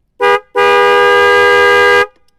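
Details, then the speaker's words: Yamaha Vixion motorcycle fitted with two new Denso snail horns via 30 A 12 V relay and fuse: one short blast, then a loud, steady, full-toned blare of about a second and a half; both horns sound healthy. "Oke, kita klakson lagi. Kayak kereta guys suaranya."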